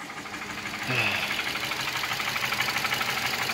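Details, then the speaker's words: 2008 Nissan Versa hatchback, 1.8 engine, 188,000 miles, idle stumbling unevenly with a shaky, hissy exhaust note after check engine light flashed; misfire that started that day, traced to failed ignition coils. "okay so this is a 2008 Nissan Versa Hatchback with the 1.8 in it it's my grandmother's car and we have a misfire definitely"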